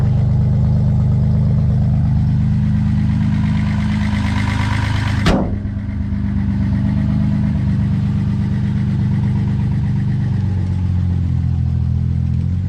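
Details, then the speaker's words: Finished 260 project car, said to be running great. Deep, even rumble with a steady beat and no knocks or misses: normal running. "We've kind of gotten it all in, just a couple of little things to do, but it's running great."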